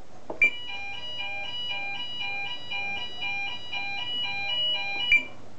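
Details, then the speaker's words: Gent Xenex fire alarm system test: sounder plays a clear repeating electronic tune, steady and even, working normally. "that's the system so far seems to be working fine just need to grab some smoke detectors next"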